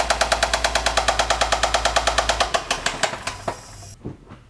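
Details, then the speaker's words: 2010 Acura RL SH-AWD 3.7 engine run only a few seconds: loud hammering metal knock about three per second, locked to engine speed, dying as it shuts off; thrown rod or bearing, with metal chunks in the drained oil. "but unfortunately this one has thrown a rod or thrown a bearing something is really bad"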